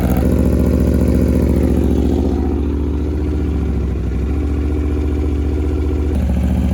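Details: Wrecked 2021 Aprilia RSV4 V4 running, with no coolant in it: steady, even low rumble with a quick regular firing beat, no knocks, misses or smoke; it runs cleanly.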